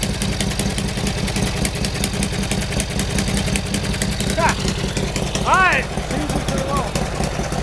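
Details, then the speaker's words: Mini NASCAR go-kart engine idling after water was cleared from the carburetor: loud, rapid, raspy popping with a harsh unmuffled bark; a hole in the exhaust lets the pulses out, and the carburetor is dirtying again. "Uh there's a bunch more issues going on with it. It's got hole in the exhaust that y'all saw."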